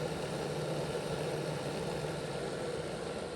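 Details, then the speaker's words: Bachmann Dash 9 model locomotive on stationary rollers at speed step 4, after making sure the motors make good contact with the contact strips in the motor blocks: steady, even whirr with no clicks, rattles or binding; running normally after repair. "And here's the result of that. So let's increase this to 4, and you can hear it sounds a lot better than it did before."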